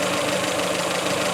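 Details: 1985 Iltis started after wet plugs and fresh fuel, warming up; oil pressure gauge past full scale and 24 V charging. A short, even, steady idle with no knock. Normal warm-up idle.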